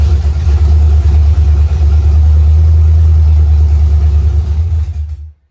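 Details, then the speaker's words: Junkyard small-block Chevy freshly installed in a '70 Nova, first fire-up after setting top dead center, making a timing mark and setting the distributor by ear: deep, lumpy V8 rumble firing steadily about five seconds, then cutting off cleanly; runs fine. "The motor runs. Fired up. Didn't run long."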